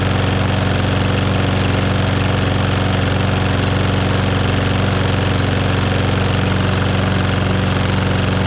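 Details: Lawnmower single-cylinder engine test run after replacing a bent crankshaft; loud, steady drone at even speed with no knocking or rattles; blade still slightly unbalanced with a little shake, far less than before; running smoothly.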